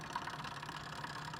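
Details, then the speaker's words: iBuyPower tower, original AIO CPU liquid cooler, mic moved close: steady rattling buzz with faint whine, unchanging; failing AIO pump noise, mistaken by owner for a GPU fan, cooler replaced afterward. "what that is is it's the CPU Cooler on this guy"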